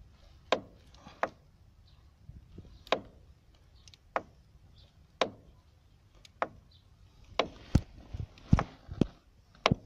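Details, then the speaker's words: Renault Megane 2: knock at the front strut top, near the strut support bearing, when the wheel is turned fully left; sharp irregular clunks with quiet gaps. Source said to be plastic knocking. "при выворачивании колеса на лево полностью появляется стук в районе опорного подшипника в районе стойки амортизатора"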